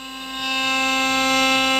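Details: CNC router on a long finishing cut (about 1.5 hours) for a wooden gate panel, machine back up and running after problems: steady clean high spindle whine at even pitch, no chatter or grinding; normal healthy cutting.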